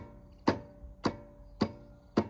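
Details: Stiga Combi electric/push-button start lawnmower: four sharp solenoid clicks about half a second apart, engine won't turn over; owner suspects battery, starter motor or starter-to-engine gear. Starter clicks, no crank.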